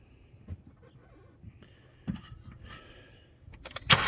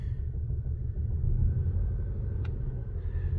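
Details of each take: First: 2010 VW Passat with flashing check-engine misfire, during compression test: about three seconds of brisk, even cranking with a regular beat and no firing, reaching about 150 psi before the battery died; normal cranking. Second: 2010 VW Passat idling with flashing engine light: low, lumpy idle with an uneven rumble stumbling every few beats; active cylinder 3 misfire confirmed by scan code, spark plug versus coil pack not yet determined.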